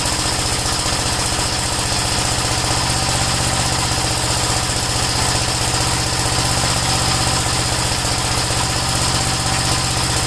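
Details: Gravely single-cylinder tractor idling after the kill switch was sorted out: steady, even popping at about four firing beats a second, no misses or knocks; normal idle.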